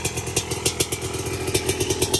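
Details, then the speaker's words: Old Yamaha Raptor 660 ATV, reluctant to start, fresh battery fitted: loping, uneven single-cylinder putter with clatter that only keeps running with the choke on; the carburetor is known to be dirty and will be cleaned. "Well, it runs with the choke on. Yeah. No. We're going to clean the carb on it too because we know it's nasty."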